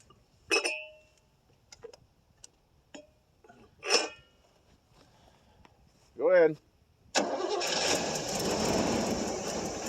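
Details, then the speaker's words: 1989 Pontiac Safari wagon carbureted engine, off the road 18 years after a deer hit, cold start at about 40°F with gas poured in the carburetor: long silence, then it suddenly catches into a rough roar. Old gas is suspected, or an empty tank. "Well, it must be picking up some old gas. You might have to give it a little throttle. When it starts up."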